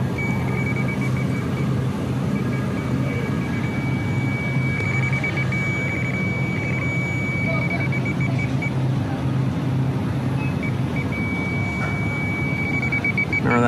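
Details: Hussmann grocery deli case on an Emerson Protocol rack with electronic EPR valves, after a 70 lb refrigerant loss, checking whether the aluminum evaporator coil or a copper fitting leaks. Over case fan hum, the detector ticks, then holds a shrill beep at the coil. Refrigerant leak.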